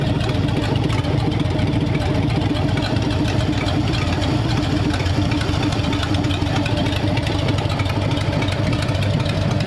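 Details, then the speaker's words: Freshly built hopped-up flathead V8 in a 1932 roadster, about 10 minutes into running with valve lash just set and 70 lb oil pressure: steady, deep, even idle with low burble, quiet valve train, no knocks, ticks or misses; healthy. "isten how quiet that valve train is Steve got that valve blash set up just right yep got pretty good that time"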